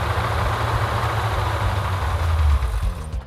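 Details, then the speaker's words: 1970 Plymouth Cuda 383 V8 with a freshly built engine, run at about 2000 rpm for break-in before reaching operating temperature. A deep, even idle with lifter or pushrod noise much quieter now. Normal running. "i don't know if it was a lifter or a push rod or combination of both of them that we're making all the noise that has quieted down quite a bit definitely is running better"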